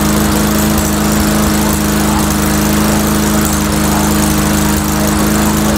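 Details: Old engine on Mastercraft 3-in-1 mower, at raised RPM: fairly even firing pulses, no misses; runs reasonably well, owner suspects carburetor maybe running a touch rich.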